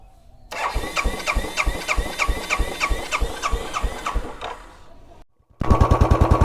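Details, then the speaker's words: Royal Enfield motorcycle that would not start for 15 minutes, FI not switching on; after replacing the relay, starter cranks steadily at about three pulses a second, pauses, then engine catches and fires evenly; normal start. "এর রিলেটা change করা মাত্র start এক রিলের জন্য যে কি সমস্যায় পড়েছি"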